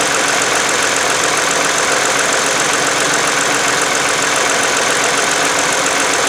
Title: Funny engine noise 2009 toyota sienna